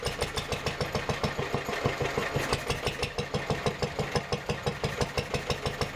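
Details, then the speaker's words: Vintage Lister D petrol stationary engine after carburettor rebuild, first test run: pulsing, uneven firing surges about three a second; governor hunting because tight throttle shaft sticks and spring can't return it, later freed. "So after the first test run, it's become apparent that the throttle shaft is just a bit too tight. See how the spring isn't enough to bring it back up to the top."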